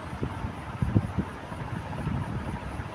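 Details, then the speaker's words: Ceiling fan checked after nearly an hour following bearing service: only a soft steady rush of air, no grinding or rattle; the loud noise that kept the owner awake at night is gone. "Alhamdulillah sekarang dah tak ada bunyi eh. Dah tak ada bunyi bis. Hanya bunyi angin kipas berpusing tu."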